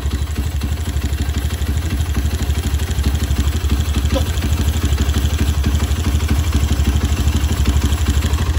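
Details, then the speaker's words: Honda CB single-cylinder motorcycle at idle after an engine teardown and rebuild with new camshaft bearing; steady, even beat about three a second, smooth with no knock, remaining noise from the PWK carburetor slide. "Tapi mesinnya udah halus ya, mesinnya udah halus, udah aman."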